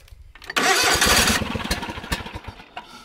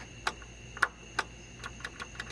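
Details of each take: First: John Deere GT245 with 22 hp Kawasaki engine, after starter repair, ignition module part replacement and a smaller battery: starter grinds, the engine fires briefly on ether in the air cleaner, sputters unevenly and dies. Fails to start, catches briefly. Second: John Deere GT245 tractor that won't start, key on: three crisp relay clicks and then a quicker run of lighter ticks; both relays click, so they are working, before the ignition module and starter repair.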